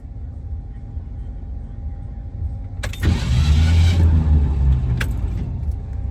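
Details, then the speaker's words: 1968 Ford Mustang at a car show: starter whirs with a loud rattle but never catches the engine, the flex plate has torn itself apart again. "We didn't even leave the car show. And the flex plate is yet again tore itself apart."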